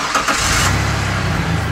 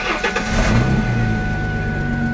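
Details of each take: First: Truck idling after a large rusted exhaust hole was sealed with exhaust putty cured by heat gun, without a welder: steady, even idle with no puffing or ticking; no bubbles or air escaping, so the leak is sealed. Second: Car with 130,000 miles on the engine cranks and catches, then idles with a loud, raspy rumble from a leaking exhaust joint, worse when driving and accelerating; repaired without a welder.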